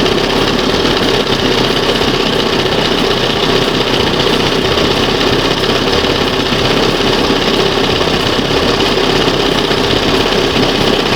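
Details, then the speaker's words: 1971 Johnson 20 HP two-stroke outboard after carburetor rebuild: steady, even buzz at idle, no misses, surges or knocks; owner says idle screw was set a little lean; normal idle, about as good as it gets. "That's probably the best what this thing's going to get."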